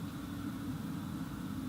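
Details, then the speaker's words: 2018 VW Transporter T6 Webasto ThermoTop Evo parking heater, remote-started, fully spooled and reaching temperature: smooth constant low roar with light hiss, no pulsing or rattles; running normally. "noise you can hear now is your bass though system fully spalling up it's now getting to temperature"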